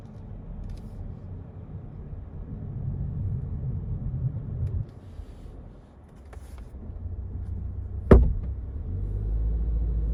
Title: Recently went in for roll bar bush replacement, comes out with humming sound. Not wheel bearings??